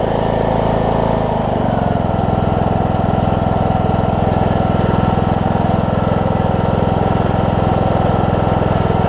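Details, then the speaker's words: John Deere D105 riding mower, 62 hours, sat unused for an unknown time, started once fuel reached the fuel pump: catches, then settles within seconds into a smooth, even idle with a steady beat while warming; normal idle. "That's all it took. That thing almost started right up. It just needed to get some fuel in the fuel pump."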